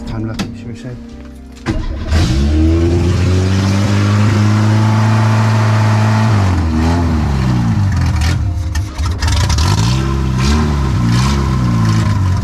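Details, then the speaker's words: Renault 8 (R1132) with swapped-in 1397cc C2J engine, no exhaust, warming up on choke: loud open exhaust catches, then revs hunt and sag instead of holding steady; owner suspects timing far off or a leak, cause not yet found. "okay think we got some work to do but it does run just could be anything timing could be a million miles off so adjusted that"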